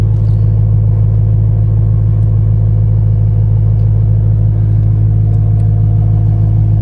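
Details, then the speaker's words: 2011 BMW E90 M3 S65 V8 at idle after new quad exhaust tips fitted, muffler already deleted, cats still in: deep even burble, no rattle from the tips; healthy exhaust. "So we're gonna go ahead and go home now and see how it sounds now without the rattle. Way better. No more trash ass rattle."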